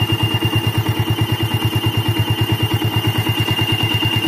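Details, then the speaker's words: Old Yamaha Vixion at idle, engine fully hot, radiator fan not yet running: steady high whistle/squeal over an even idle about three pulses a second, absent when cold; worn water pump seal, fixed by replacing seal, bearing and impeller. "Oke, dia bunyinya dencit ya. Nah, oke, seperti itu dia bunyi kayak siulan guys ya, dia berdencit parah gitu. Ketika mesin sudah panas guys ya, jika mesin belum panas dia belum bunyi."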